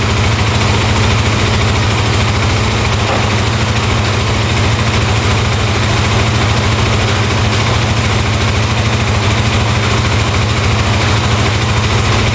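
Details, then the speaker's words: 2008 Kawasaki KFX450 quad bought sight unseen. It has a loud, even single-cylinder thump at steady idle with no knock or miss, no smoke, responsive throttle and no carburettor, fuel or oil leaks. The engine is running well. "all right that sounds really good wow no knocking no smoking wow very responsive wow sounds great"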